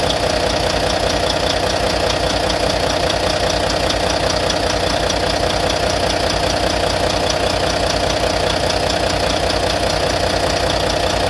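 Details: Volvo VNL D13 diesel idling after injector replacement; steady light ticking about 150 per minute over idle; owner suspects lifter noise, cause unconfirmed.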